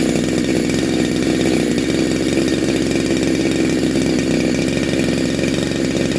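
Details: Neo-tec NH872 chainsaw (372XP clone), big bore kit, cold start on second heat cycle: dense, steady two-stroke buzz with even, crisp firing and no stumbling, sounds awesome; normal running.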